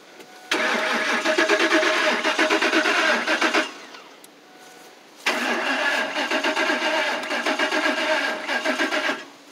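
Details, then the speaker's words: 2004 Lincoln Navigator: two bursts of fast steady starter cranking, about three seconds each, and the engine never catches; crank no-start, fuel pump suspected of not working, not confirmed. "turn the key on see if the fuel pump fuel pumps not working fuel pumps no good well maybe I think the fuel pumps"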